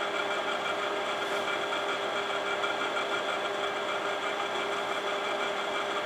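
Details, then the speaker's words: Imation LS-120 SuperDisk drive failing with floppies, writing a SuperDisk: even buzzy whir with fine fluttering texture; head travel sounds unusual, owner suspects track-alignment problem; written files came out corrupted. "But yeah, that head operation sounds different in that drive for sure."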